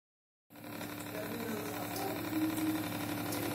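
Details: Reverse osmosis water purifier with booster pump making a steady loud buzzing hum, from the outlet pipe and a loose part vibrating; fixable with a simple trick.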